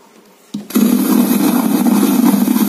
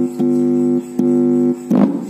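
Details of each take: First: Polytron XBR active speaker with volume not working, power-on with speaker sockets disconnected; loud steady crackling roar and low rumble persists, so the fault is in the power amplifier. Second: Polytron XBR active speaker repaired for a rumbling, crackling fault by replacing an NPN transistor; playing music in USB mode with clear, steady tones and no crackle, hum or rumble. Clean audio playback after repair.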